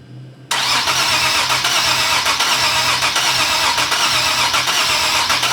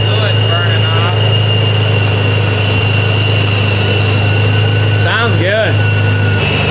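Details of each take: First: Supercharged Nissan 370Z Nismo VQ, first start after air-to-air supercharger conversion and timing/gallery gasket refresh: steady even cranking with good compression beats but no fire or sputter; fuel pump runs with pressure, crank no start. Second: Supercharged Nissan 370Z Nismo (VQ engine) first start after air-to-air conversion, timing and gallery gasket refresh: smooth even idle with steady low drone, no knocks or misses, running rich at about 40 psi fuel pressure; normal idle.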